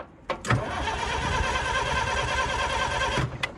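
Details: Bobcat 743 skid steer diesel: steady starter churning for about three seconds with no firing; preheat may not have been working or done right, and owner suspects he forgot to open the fuel line.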